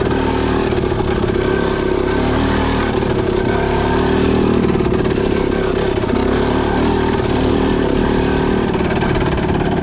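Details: Suzuki RM250 two-stroke with a Lectron PRO Series carb and light flywheel weight (about 6–8 oz), lugging as slowly as possible in second gear: steady, even low-rpm chugging with no stumbles, misses or gurgling; clean fuel delivery.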